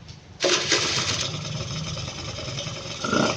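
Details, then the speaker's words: Suzuki Street Magic carbureted motorcycle that previously would not start, after carburetor rework and raising the idle screw: hand-started, it cranks briefly, catches cleanly, idles steadily without stalling and revs normally. "ตอนนี้เครื่องยนต์ติดได้เดินเบาได้เร่งได้"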